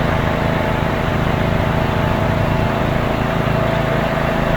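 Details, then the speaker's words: Swisher rough-cut mower, blades engaged remotely by upgrade, mowing tall grass: steady drone, even firing, no knocks or misses; normal running under load. "Hit number 2, we're going to engage it. You can feel a little shake there. That engages the mower."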